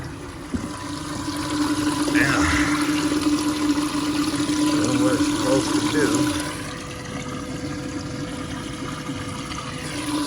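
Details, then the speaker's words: Air-to-water intercooler (PNR icebox) pump on a rear-mount turbo Ram 1500 crew cab 4x4, tank mounted above intercooler, iced water: steady low single-pitch hum under rushing water, even and smooth, inaudible from cab; normal circulation. "all right okay you can't hear it in the cab at all pretty neat it's better than the last one the last one i can hear in the cab this one you can't hear in the cab"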